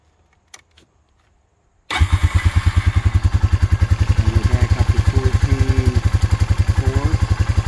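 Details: 2004 Honda Rancher 400 4x4 ATV, about 2,500 hours, after battery replacement: quick crank, catches at once, settles into even steady single-cylinder putter; healthy start and idle, charging system good.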